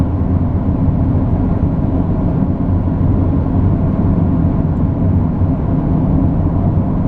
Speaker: we're on the highway doing 110 kilometers which is approximately 65 miles an hour I think you'll notice that the loud whirring sound is now gone the bearing has been replaced